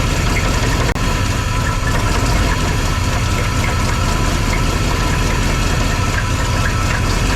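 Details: Big V8 in a newly acquired project vehicle: loud, uneven low thumping idle with a ragged pulse and ticking; running rough, with a suspected passenger-side exhaust leak; it moved under its own power.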